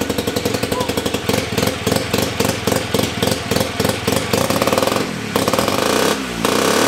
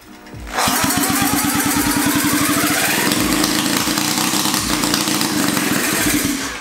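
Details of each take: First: 1975 KC27 294cc rotary from a Hercules W2000, rebuilt, kick-started with transmission fitted: fires up with a fast even buzzy beat and revs cleanly up and back down; runs good. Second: Rebuilt 1975 KC27 294cc rotary from a Hercules W2000: catches into a rough uneven buzzing idle that fades within seconds; compression tests only 30 psi.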